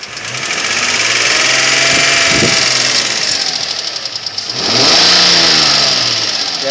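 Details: 2003 Infiniti G35 sedan engine revving twice under loud rattly ticking that rises and falls with engine speed; owner doesn't know the cause.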